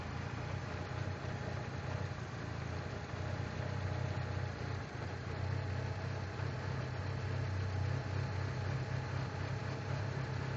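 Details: 1996 Mitsubishi Eclipse Spyder with 6-bolt engine swap: deep low idle rumble, uneven with occasional dips; rough idle with no fault codes, cause not found.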